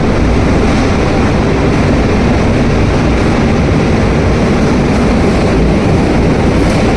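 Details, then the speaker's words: Large hydro turbine with 56-pole generator turning about 107 RPM for 50 Hz: loud steady roar with gravelly crackle over deep rumble, no clear rhythm; noise possibly gravel or cavitation, cause unconfirmed. "And why do some of these machines sound like they are about to tear themselves apart?"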